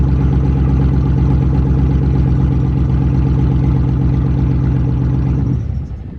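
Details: Problem daily-driver truck with bed removed, test-run with fuel pump module bypassed, confirming the fuel pump is the fault: steady, even idle with firm low pulse and no stumbling, then shut off; runs fine with module bypassed.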